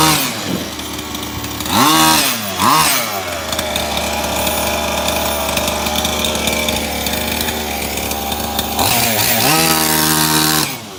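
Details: Maverick MT nitro RC truck after a broken clutch spring was replaced and the clutch reinstalled: high-pitched engine revs up and drops back cleanly, then holds an even steady note on test drive; fixed and running normally.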